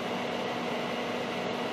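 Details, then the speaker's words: Data East DECO Cassette System arcade power supply cooling fan on the bench at power-up: steady, even airy whir with faint hum, no rattle or scraping; runs normally. "all right let me power this thing up well the fans working it took a while to power up"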